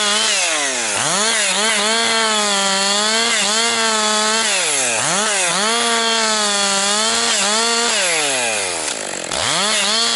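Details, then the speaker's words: Husqvarna 262XP chainsaw after rebuild, several tanks into break-in with compression come up, pushed harder bucking 4–12 inch low-grade pine firewood; screams at high revs, bogs slightly in each cut and snaps back cleanly between them; normal, strong cutting under load. "Getting it going a little harder, pushing it a little harder because I already have, like I say, quite a few tanks through it here, and it's breaking in pretty good."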